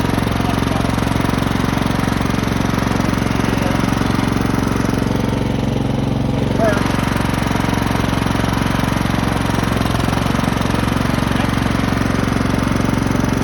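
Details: Craftsman lawn tractor, 15.5 OHV single-cylinder, sat 3–4 years, revived with fresh gasoline and a charged battery after nest removal: a steady, even putter and low drone, no surging or missing; running normally.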